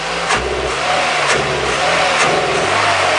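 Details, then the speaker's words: Toyota Echo with the MAF sensor connected hesitates under acceleration: revs climb in uneven, stuttering surges about once a second. MAF pink wire shows variation, violet none; MAF suspected, not confirmed. "but I want to show you a super quick way to check and see if the MAF is playing up. This is the hesitation that we're experiencing."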